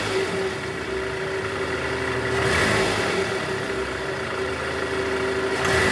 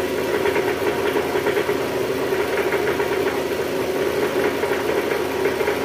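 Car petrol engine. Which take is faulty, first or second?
second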